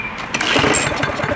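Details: Discarded Craftsman lawn mower, fuel just added after it wasn't reaching the pickup: short pull-start burst with a few ragged firing pops that never settle into a steady run; cause unconfirmed.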